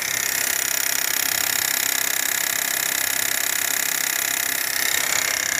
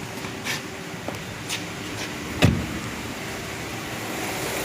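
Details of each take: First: 2023 Renault Duster direct-injection engine, 44,000 km, microphone held at the high-pressure fuel pump: fast even ticking of three or four clicks a second over the engine from a failing high-pressure pump, later replaced. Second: 2023 Duster 1.3 direct-injection turbo petrol with 44,000 km, idling smoothly with a steady, even hum and no ticking after the noisy high-pressure fuel pump was replaced.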